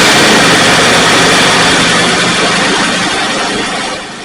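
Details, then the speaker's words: Pontiac Firebird V8, carbureted, sat about 8 or 9 months, first start after fuel tank install and carb primed; loud rough roar on catching, then settles lower, uneven; expected hard start after storage. "It's been sitting, I guess, about 8 or 9 months. So it'll probably be a little hard to start, but we'll see what's going on."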